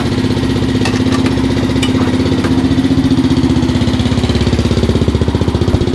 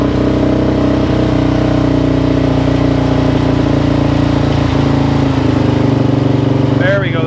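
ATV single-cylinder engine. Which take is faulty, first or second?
first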